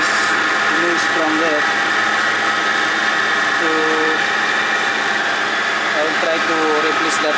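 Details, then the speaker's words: Mitsubishi Pajero engine idling evenly with short, high chirpy squeaks coming and going over the hum; owner suspects the idler pulley bearing and goes on to replace the idle pulley. "hey guys uh today I will show you you know I observed there is a abnormal uh noise from my Mitsubishi Pajero there's a noise in the engine I don't know uh I suspected that uh the noise from from the idle pulley"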